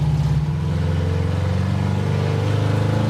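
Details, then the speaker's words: 1968 Plymouth Satellite Road Runner clone, 383 V8 with carburetor and four-speed, on its first drive: deep, uneven, lumpy running. Crew unsure why; they wonder about third gear, needing to warm up, or bad gas in the carburetor. "why do it run so terrible I don't know that's why I thought that was third gear maybe it needs to warm"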